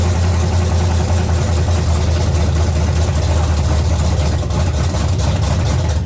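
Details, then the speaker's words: 1970 Chevy C10 small-block V8, carburetor and intake manifold just replaced, first revived after being locked up: loud, lumpy, stumbling idle with misfire and heavy smoke. The distributor cap's center carbon button had broken out, and the cap was replaced. "this is the button on the center of the distributor cap it broke and came out of there I I don't I never ever seen that I don't know what the heck no wonder thing wasn't run right"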